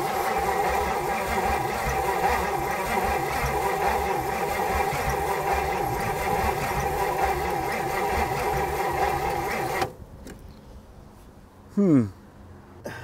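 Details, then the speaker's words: 1959 Edsel Corsair Ford V8, parked 40+ years, after new points, gas poured down intake: steady starter churn about ten seconds, turning evenly but never catching; pulled plug not wet with fuel, intake passages possibly blocked, carburetor to be pulled. "In this last ditch effort, I pulled a random plug over here and it's not as wet with gas as it should be. Especially with how much Davin just poured down the intake."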